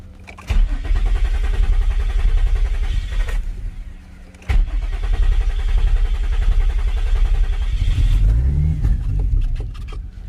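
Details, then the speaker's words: 2006 Infiniti G35 coupe, after fitting OEM throttle body but with wrong part installed as crankshaft sensor (crank code). Engine catches, runs unevenly a few seconds, cuts out, restarts and dies again; won't hold idle. Engine stalls after start from wrong crank sensor. "It does look like that made a difference. Normally when you do have a crankshaft code, your car should turn off like how you see here."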